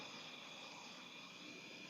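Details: LPG gas-heated clothes press (iron) for tailoring, already hot: steady even gas hiss with no sputter or popping. Normal burner operation.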